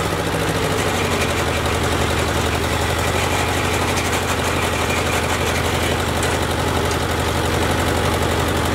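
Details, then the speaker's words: Ford Jubilee tractor idling after its carburetor was replaced: even, steady low chugging with no stumble or hunting. Idling properly; before the swap it was stalling under load. "sounds pretty good she was stalling under a load before"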